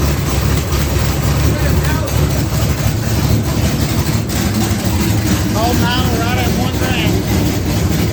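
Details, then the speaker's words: 1980 Trans Am V8 with new Tick Performance nitrous cam and ported intake, run briefly without coolant: deep, uneven lumpy idle with a choppy low rumble at steady speed; runs healthy, just aggressive. "yeah it runs good sounds wicked this sounds better than it did before and it sounded good before"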